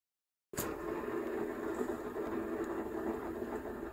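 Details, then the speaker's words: Xiaomi M365 electric scooter rear wheel after replacing its bearings (6001 2RS). The wheel spins with only a soft, even hush and no grinding, rumble or rubbing; the bearings sound smooth and quiet. "it's really quiet so we do a final test just to make sure it's not rubbing now that sounds nice"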